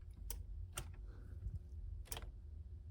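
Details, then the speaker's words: Mazda RX8 chassis on about 11 V battery power for the first time, key on, not cranking: three sharp relay clicks over a low hum, no fuel pump running; owner suspects neutral safety switch or immobilizer. "heck yeah dude heard some relays click over there I don't hear the fuel pump going so I'm gonna have to figure that out"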